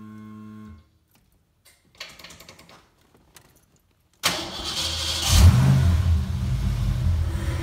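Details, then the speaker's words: Fox body Mustang 5.0 after ECU repair: brief crank, then steady even cold idle held without throttle and slowly lowering; before the repair it would stall unless the gas was held; now fixed. "i didn't touch the gas at all that's encouraging so it's got uh cold idle now it wouldn't do that before"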